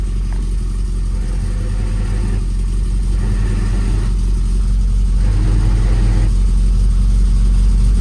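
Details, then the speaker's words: Lotus Elan after a fourth clutch job, idling: tone roughens in spells when the clutch pedal is depressed and settles on release, a horrible noise on disengaging the clutch; cause unknown, engine coming back out. "I'm going to say that's a complete and utter disaster. It's making a horrible noise when I disengage the clutch."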